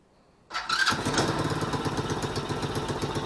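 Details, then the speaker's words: Tao Tao 110cc Chinese ATV, cold start after replacing a starter that had broken apart: quick clean crank, fires within half a second and settles into an even single-cylinder putter; the new starter works. "There you go, just like that. Sounds good."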